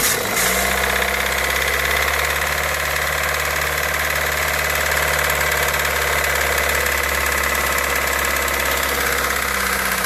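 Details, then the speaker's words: Toyota 1ZZ-FE engine after starting, at idle: fast, even knock over the low hum. Source of the knock is not yet identified. "в общем двигатель 181 визита это при заводке издает звук характерный не могу понять что это такое сейчас я покажу"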